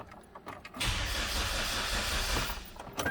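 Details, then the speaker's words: 2009 Hyundai Sonata towed in for crank-no-start: fuel pump heard priming, check engine light on, gauge shows about a quarter tank. Starter cranks steadily but it never fires; it acts out of fuel. Cause not confirmed. "sounds like we're out of fuel the fuel gauge does show that it has fuel in it it's not it's about a quarter tank but it acts like it's out of fuel"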